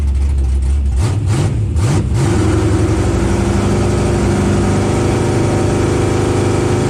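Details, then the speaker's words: LS-powered Camaro bracket drag car on a pass, timing restored and carburetor readjusted. The 1-2 upshift was missed because the RPM shift selector was set to 7,900. Engine screams, hangs at max revs and pops heavily on the limiter. "The car didn't shift on the 1-2 shift. Somehow my shift setup for the RPM selector is set for 7,900. So it went from 7,000 to 7,900."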